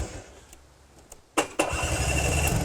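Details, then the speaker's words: Recently bought used two-stroke Vespa scooter with starting problems, fired on electric start in the workshop: catches and settles into a rattly, buzzy idle, revved with a lot of smoke; piston and cylinder damage after seizure. "Yeah. Oh, I see what you mean, yeah. Yeah, that's a little bit rattly, isn't it?"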